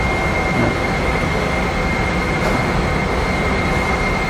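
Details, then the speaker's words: HIP T-Series high-pressure pump on a test bench, motor holding operating pressure before stepping through three set points with measurements: steady even rush with a thin constant high tone, no pulsing or knocking; normal operation. "At this point, the system's pressurized, and we're really just going to maintain that pressure. We're going to set through three different set points."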